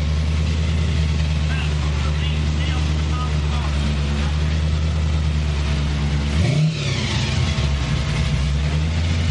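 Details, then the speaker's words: Chevrolet Malibu V8 on a test run after the carburetor was fixed: deep, even burble with one quick throttle blip, no misses, running cleanly on all cylinders. "Sounds crisp now. Todd fixed the damn carburetor for sure."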